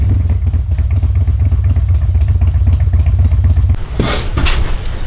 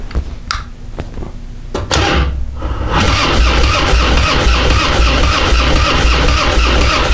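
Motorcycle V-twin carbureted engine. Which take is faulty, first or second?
second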